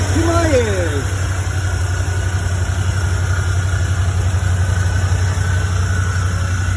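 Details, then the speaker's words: 1975 Ford E100 van V8 being revived, gravity-fed fuel to the pump and carburetor after priming: steady, even low rumble at idle with no misses or knocks; normal, healthy idle. "okay that was that was really nice to hear that run that's uh that little hose feeding down to the uh fuel pump is working great"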